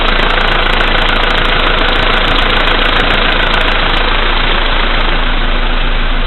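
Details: VW Polo Sedan, CFNA engine, 2222 km, cold start at -5°C after sitting overnight; oil three marks below max, Lukoil 98 fuel. Regular knock, about three beats per second, over the engine at cold idle. Cause not pinned down.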